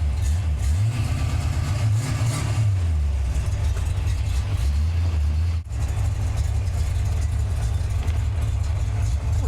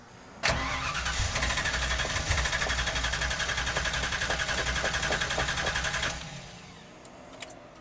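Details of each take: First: Same car with the belt removed, Flowmaster exhaust: deep, lumpy burble at idle with a couple of throttle blips, steady with no ticks or knocks; normal idle, distributor was not the fault. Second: Car with a fuel cell, new budget distributor fitted: starter spins steadily about four beats a second for five seconds but it never fires; crank no start, fuel likely evaporated, tank likely bone dry.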